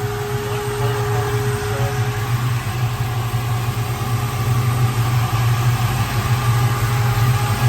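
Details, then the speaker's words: 1967 Ford Mustang Fastback, no blow-by, clean dipstick: deep, steady idle with even lope, nothing tapping or rattling; sounds healthy. "I'll tell you what that sounds nice back here"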